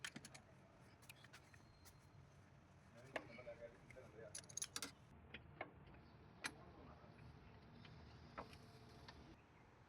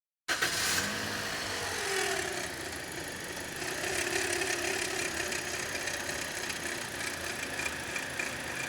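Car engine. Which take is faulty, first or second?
second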